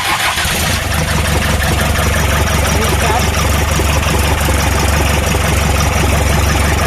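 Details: Toyota Noah 3C turbo diesel after engine repair, start: cranks and catches promptly, settles into even, steady diesel clatter with no misses or knocks; normal start and idle.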